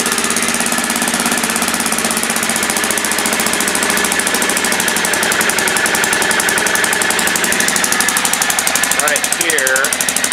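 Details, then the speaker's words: 2000 Aprilia Pegaso single-cylinder with stock dual exhaust, cold, idling fast on choke: sharp rapid puffing tick from an exhaust leak. "it does have a little bit of an exhaust leak but um you'll at least be able to hear hear what it sounds like here now you can hear the exhaust leak"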